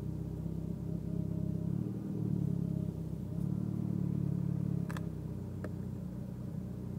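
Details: Mitsubishi Evo X at idle: a low rumble that rises and sags about every second instead of holding steady. Unsettled rough idle.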